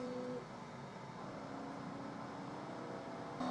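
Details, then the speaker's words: Qidi Tech X-Smart 3 3D printer during input shaper calibration: a quiet humming tone stepping up and down in pitch over a soft buzz, plastic panels may rattle; normal input shaper calibration vibration. "And you can hear it making its little input shaper grumbling noise."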